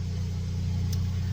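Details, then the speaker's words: Generator engine running steadily at 6 a.m. to charge a solar system's Rolls batteries, heard in the background; steady, even low hum with no surging, knocking or misses, running smoothly at constant speed. "I'm up to run the generator. You can probably hear it in the background. Charge the batteries up."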